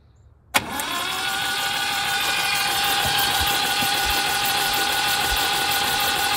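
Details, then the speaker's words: 1971 MGB sat in woods 20 years, cranked after working on suspected stuck valves under valve cover: starter spins at about four pulses a second, slightly lopsided, never catching; compression low and uneven, improving, points not yet set. "ou saw spun over okay has okay compression on some but not on others so if everything sounds good so far but I think we've got some stuck valves"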